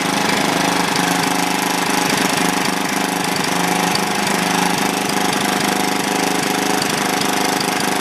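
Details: Old, worn Clinton B700-series single-cylinder engine (model B704, possibly ex-rototiller), choke on, gives a steady, even putter with no misses, surging or knocks; running smoothly, a tad smoky.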